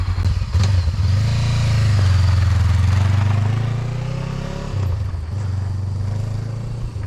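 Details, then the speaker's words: 2018 Honda CB500X after clutch and oil pump chain replacement, test ride outside: even twin-cylinder drone rising through pulls, clean shifts, no knocks or rattles, oil burning off the exhaust, no leaks; the bike is running normally. "It's burning some of that junk off of the exhaust from where it dripped on there. Other than that, it looks like it's running okay, and the clutch is working good."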